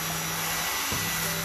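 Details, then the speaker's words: Cornell water heater after replacing the flow sensor's magnetic bar so it triggers the reed switch: steady, even pump motor hum under rushing water with no rattles or stutter; pump running normally, heater fixed. "if it is working you would able to hear the motor sound of the pump there you go"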